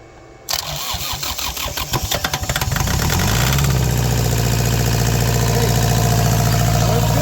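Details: Kubota L3450 diesel tractor, sitting for years: cranks about three seconds, catches and settles into a steady, even diesel clatter with no knock; run briefly because there's no water in it, and it also drives.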